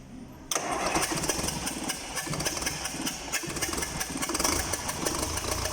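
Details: Liebherr 924 after repair: engine catches at once and settles into a steady, even run with no knocks or misses; normal start and run.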